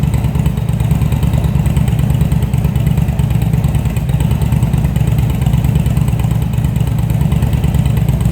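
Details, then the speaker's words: Engine after rebuild of CV carbs (vacuum slides), cold, on a remote fuel bag with airbox and tubes off. Rough, lumpy idle with uneven pulses about three per second; needs tuning once the airbox is refitted. "So without the air box or the air tubes or anything on it, it's going to run a little funny."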